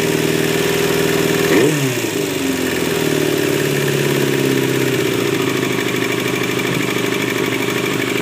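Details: 2000 Yamaha R6 first run after repairs, warm at idle: busy, buzzy mechanical noise with a brief pitch dip near the start; source not identified.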